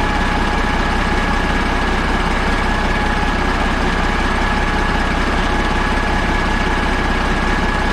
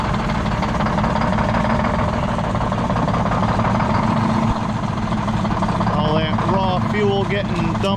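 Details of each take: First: Caterpillar 3406A diesel with temporary fuel buckets and extra batteries, last run before truck install: deep, steady idle with an even clatter, no misses, knocks or rattles; healthy. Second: Detroit Diesel 6-71 on its last run before being pulled from the truck: a heavy, shaking idle with a rhythmic skip as one beat drops each cycle. The finding is misfire from a dead cylinder.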